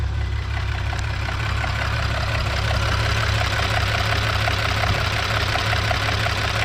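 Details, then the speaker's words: 2010 VW Passat R36 with 144,000 km idling: steady smooth idle with faint, uneven light ticks about three a second from the top end; lifters suspected loud from sitting, unconfirmed. "Uh the lifters sound a little bit loud, but it might been sitting for a while."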